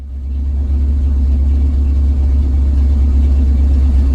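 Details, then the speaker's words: Carbureted engine on the Frankenstein truck project, cold weather, at idle after timing and carb work: deep, even V8-like rumble with a steady beat and no misses; a smooth idle, though the owner says it dies on any throttle. "rattling smooth but my issue is right now if i give it any gas it just dies"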